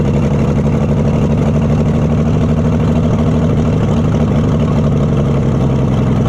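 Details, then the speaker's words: Oliver Super 77 tractor from a scrapyard after years of sitting, with a poor carburetor as part of the trouble, choke needing tying back and a worsening freeze plug: uneven, lumpy idle with a slight stumble; rough running. "this carburetor isn't the greatest either so that's part of our trouble not bad though for sitting in a junkyard for years"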